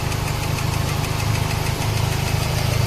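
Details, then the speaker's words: Toyota Baby Altis 2E engine at stabilized idle after a new carburetor and tuning (slow jet was clogged): quick light ticking, about four per second, from the top end. Suspected loose rocker arm pivot or valve clearance; a shock near cylinder No. 2 also suggests a dead cylinder. "So kung ganito yung problema ng sasakyan niyo, malamang to kung hindi pibot, buve clearance or patay yung cylinder kasi nakuryente ako kanina rito eh."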